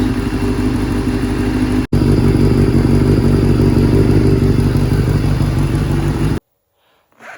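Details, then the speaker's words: 1989 Kawasaki Ninja ZX7 on a stand, being run out of fuel; steady, even four-cylinder burble with regular low pulse and no knocks or rattles until it stops: healthy normal idle. "Just running it out of fuel up on the stand here. Can't believe how well it idles."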